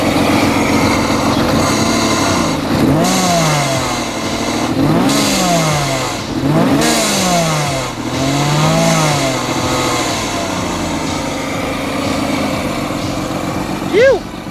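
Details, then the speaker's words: Supercharged BMW M50B20 in a Toyota Corolla drift car, new diverter/bypass valve fitted, free-spinning pulley, one coil pack unplugged so running on five cylinders; rough uneven blips with airy release on throttle close: misfire, bypass valve venting. "You can hear the bypass valve is definitely working and doing what it needs to do, which is releasing that air after the throttle was closed, which is awesome."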